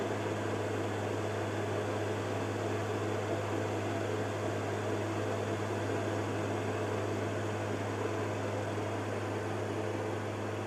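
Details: Carver Fanmaster caravan heater 12 V fan, 1996 Swift, after fan and control PCB repair: even low motor hum with smooth airflow hiss, no rattles or scraping; runs steadily, though motor runs quite hot and may fail.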